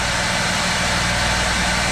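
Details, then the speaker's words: Built-in Onan RV generator running while microwave is switched on; steady even drone with no pitch dip or surge at fixed speed, while power output line turns erratic, dirty power. "see you guys notice nothing no tone change anything in the generator"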